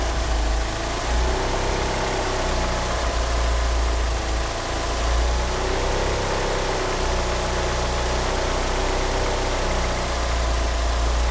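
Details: Car engine with 850cc injectors that cannot rev up, with the power-steering pump belt slipping; low, uneven idle that lumps and wavers instead of holding a steady beat. Rough idle, cause suspected but not confirmed.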